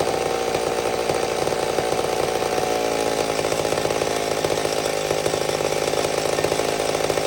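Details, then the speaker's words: Old McCulloch Super Pro 70 chainsaw, richened slightly after a pulse line fix (owner thinks gasket sealer was in it), no longer racing up and down: high buzz holds, then drops back to a steady idle. Normal idle. "it's a sign that it's fixed we got it it was something to do with the pulse line i think there was some gasket sealer or something in there"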